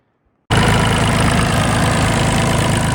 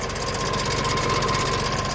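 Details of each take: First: Neglected used John Deere after missing bracket refitted to stop a chattering: catches and settles into a smooth, even idle with steady low beat and no ticking or chatter. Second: Neglected John Deere 2150 utility tractor diesel, first start by jumping starter without fuel system work: idle with rapid even ticking at engine speed, owner unsure if internal or external.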